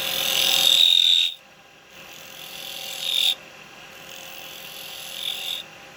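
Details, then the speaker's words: Lathe turning a miniature cowboy hat from dry, seasoned wood, with a gouge scraping across the thin rim: a shrill, high-pitched squeal comes in bursts during each cut, which is thin-wall chatter; the advice is to put a finger behind the rim, and the final cut shouldn't make that noise. "the Final Cut mustn't make that noise did you make that noise on your final cut these are gonna have a bit of chattering on there we love chatter marks"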